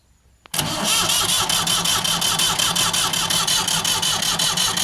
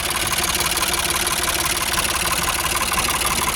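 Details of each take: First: Ford 4600 tractor diesel with a newly fitted exchange injection pump and injector lines slackened for bleeding; steady starter churn of almost three beats a second for eight seconds that never catches, with no smoke; no fuel delivery yet; cranking, no start. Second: Ford 4600 tractor diesel, after fitting a service-exchange injection pump: steady tick-over at about 700 rpm with even knocks and no labouring or stumble; idles healthily.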